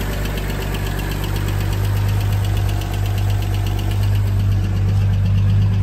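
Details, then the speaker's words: 1980 Toyota RN30 Hilux 4x4 with Holden 186 six, first start, cold: steady low rumble at idle with an even firing beat and no knocks or rattles; normal idle. "Oh, man. That sounds sweet. I don't know if you can hear that, but that sounds lovely."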